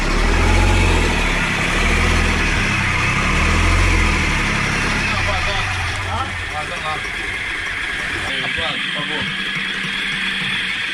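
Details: Marine diesel on a 44ft steel sailboat abandoned 22 years, running after bleeding air from the fuel on the second try, temporary small tank with leaking return hose; deep steady thump, even idle: normal idle.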